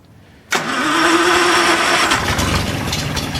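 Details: 1937 Wolseley 14/56 Series III replacement engine, possibly idle for 30 years, on a test stand after compression tests: catches sharply after a quiet moment and settles into a steady, busy idle; starts and runs fine.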